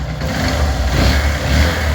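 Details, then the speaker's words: 150cc single-cylinder motorcycle after repair for valve noise: the worn camshaft and complete head tower and one valve were replaced. It now runs smoothly with an even thump and no top-end ticking. Normal running. "ó lá ó o motor como ficou vocês não sentem nenhum barulho galera"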